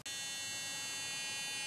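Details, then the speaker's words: 1995 Ford 7.3L Powerstroke direct-injection diesel, cold no-start: constant high-pitched buzz from aftermarket glow plug relay as soon as key is on, power reaching glow plugs; aftermarket relay likely to fail soon, Motorcraft DY861 recommended. "you just turn the key on you can see it the glow pup relays on we're getting power out of that lug and we're going out to the glow plugs now you can hear the sound this one this is aftermarket one"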